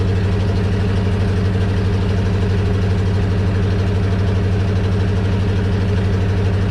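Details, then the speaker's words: 1976 International wrecker truck (345 or 392 engine) at idle: constant whine from hydraulic pump riding over engine, unchanged, but bed does not move; pump may not work, cause not yet found. "I can hear the hydraulic pump whining, but it's just not wanting to do anything, so I'll look further into this, but it might not actually work."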